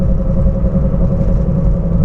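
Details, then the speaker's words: 2011 Toyota Prius at about 45–50 mph: a steady low droning hum over road rumble whose pitch rises with speed and gets louder when steering left, quieter steering right; a worn wheel bearing. "sometimes you go low speed you can hear the noise but it's not clear enough but when you go higher the pitch is higher and higher now's 45 okay I can hear louder"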